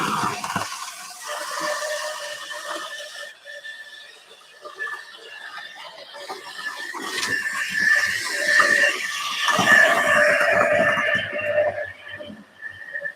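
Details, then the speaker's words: High, steady squeal with wavering pitch over a light whirring motor from one of the newer model railway locomotives; gear squeal suspected from non-brass plastic or alloy cogs, brass cog replacement planned. "that's probably one of my more newer locomotives but listen to it squeals like crazy it looks horrible"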